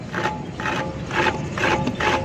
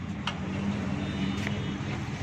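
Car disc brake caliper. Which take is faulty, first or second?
first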